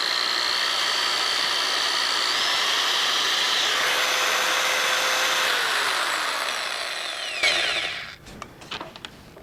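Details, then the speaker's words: All-plastic double-insulated corded drill, ungrounded plug, owner's used drill with awkward on-off switch: high steady whine at even pitch, no grinding or rattle, then winds down and stops; normal running. "This drill runs good, and I've used it, and I've had some success with it."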